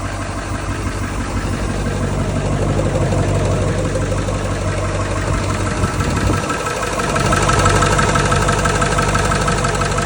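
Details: 2000 Ford 7.3 Powerstroke turbo diesel V8 at idle with a steady rattly clatter and a repeating knock about three times a second; owner unsure whether it is injector or engine knock, cause unconfirmed.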